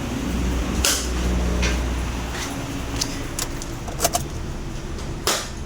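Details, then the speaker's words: Perodua Kenari cranks about two seconds and never catches, shop clatter after; crank no start. "Okey ni ada sebiji kenari datang bengkel tak boleh hidupang kita start tak boleh hidup ah"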